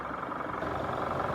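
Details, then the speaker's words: Brand-new Toyota diesel pickup with only 887 km, engine cold at idle: steady, quiet light even clatter with slight knock and nothing irregular underneath. A normal healthy engine, expected to get quieter once warm. "This engine is so quiet for a diesel. You can hear it knocking a little bit loud, but trust me, if I go for a drive in and just come back, you hear it so quiet."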